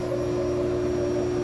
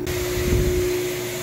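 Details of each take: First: Lochinvar gas boiler firing normally with a steady, even roar and constant mid hum, no whistle, after removing improperly installed dampers that had restricted the air intake and caused a loud whistling. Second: Lochinvar boiler firing with a loud steady whistle over the blower hiss, caused by a major combustion air intake restriction. Unsuitable damper flaps were being sucked shut; a plugged air filter was first assumed.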